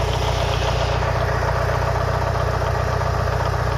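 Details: Mitsubishi Lancer Evolution VI 4G63T idling fully warm, oil around 85–90°C: steady regular knock about two or three per second; owner unsure whether it is rod knock or lifters.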